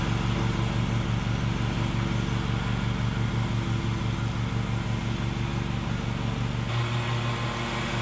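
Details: Bad Boy zero-turn mower, fire-damaged engine repaired, drive pull fixed and new blades fitted, mowing: smooth even drone with steady beat, dipping slightly as load changes; runs and cuts normally, even cut.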